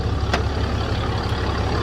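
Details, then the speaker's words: 2007.5 Dodge Ram 2500 6.7L Cummins diesel after in-frame rebuild with cylinders honed; even, steady idle with smooth low clatter, no knocks or misses; normal idle. "I'll go ahead and crank it up and show you. So, everything went back together well."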